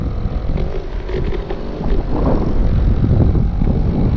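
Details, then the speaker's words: Go-Ped two-stroke unused 15+ years, after reaching 17 mph at full throttle, rolling at about 5 mph: buzzy little putter under heavy wind rush holding steady without stumbling; idles fine. "She's idling just fine, 5 miles an hour and holding."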